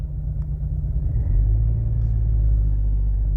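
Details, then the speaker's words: Mercedes W245 B-Class automatic, cold start with a misfire on cylinder 4 only when cold: low, uneven loping idle running on three cylinders with visible vibration; smooths out as the engine warms. Rough idle. "O teraz już słychać jak pracuje na trzy gary wyłączę ten wiatrak Mercedes słychać I widać wibracje"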